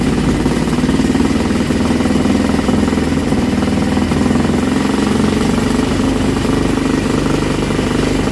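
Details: Old Villiers single-cylinder engine on a bench, on choke, drill-started: loud, steady buzz with no misses or surging, running properly; kill switch failed because its contact was painted over.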